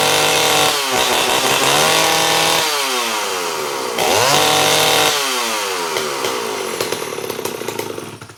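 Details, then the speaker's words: STIHL 041 AV chainsaw, cold start, rarely used: revs up and sags repeatedly, pitch sweeping unevenly instead of holding steady; running rough, owner suspects lack of use, not confirmed. "So that's my collection of saws, but the guy in the middle I don't really use much anymore. That's probably why it wasn't running so good."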